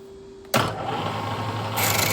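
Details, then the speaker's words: 1940s 14-1/2" South Bend lathe drilling a donated quick-change tool holder: steady hum breaking into harsh squealing scrape as the bit hits hardened material without cutting. "Still a no-go. I don't know if you could hear that squeal, but that's hitting some hard material."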